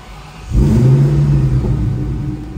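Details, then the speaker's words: Terminator Cobra Mustang, first start on E85 with new tune, two of three fuel pumps running, injectors not yet swapped: engine catches after brief crank and settles into a deep, steady rumble with no misses or knocks, running like a dream. "very nice like a dream there we go twin fuel pump actually it's a triple pump uh we're only running two pumps though"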